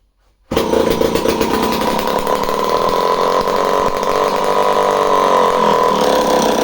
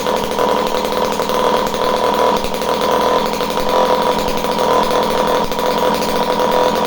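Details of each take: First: Homelite C51 chainsaw just after starting: screams at high, slightly unsteady revs with thin hard edge, running slightly lean; fuel suspected draining back from carburetor, pump body seal found damp. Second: Homelite C51 two-stroke chainsaw, previously reported non-running, with fresh fuel, carb needles at base factory settings and confirmed spark: steady crisp high-pitched buzz, no stumbling or surging; runs cleanly at speed, surprisingly.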